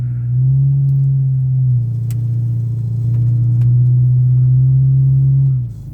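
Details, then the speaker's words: 2002 VW Cabrio GLX, 2.0 L non-turbo four-cylinder, 115 hp, front-wheel drive on steel snow-tire wheels, pulling away in drive at about 2,000 rpm: deep, steady, loud exhaust drone under cruising load. "Yeah, it's pretty loud. Like that's 2,000 RPMs right there."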